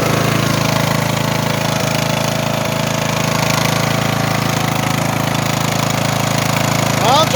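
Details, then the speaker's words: Craftsman T150 riding mower, over 10 years old, started before an oil change with old, dark, low oil: steady rapid thumping idle with faint irregular knock, occasional stumble and heavy smoke; owner attributes the misfire and knock to lack of oil. "now if you listen you can hear a misfiring that's from lack of oil"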